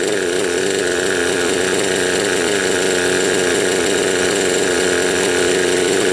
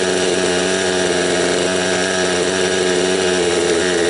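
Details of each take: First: Raptor 30 gasser, a small two-stroke at high-trim idle during break-in, with the low needle one turn out. It runs with an uneven, burbling beat, four-stroking on a rich mixture and spitting oil from the exhaust. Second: Raptor 30 gasser two-stroke during break-in, heard while adjusting the low-speed needle from one turn out with a very high idle. It was flooding or four-stroking before; now it buzzes at a fairly smooth, steady idle but still runs a touch rich.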